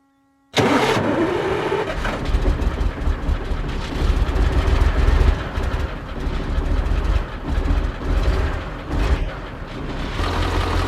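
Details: Soviet-era Kamaz diesel truck, first start after over 6 months sitting, just after field oil change, filters and new air filter, oil slightly overfull: brief crank, clean catch, steady deep idle, no knocks or misses; smoke from storage; normal start.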